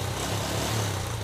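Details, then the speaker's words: Repaired Yamaha Jupiter Z1 (error code 46 caused by stator-coil wiring) answers quick throttle blips that rise and fall cleanly, with no stumble or misfire and no more sputtering. Charging about 13.5 V is normal; throttle response is normal. "Oke jadi untuk pengisian ini udah normal motor udah enggak merebet ya lihat ya Nah ya kan Di blayer-blayer udah enak"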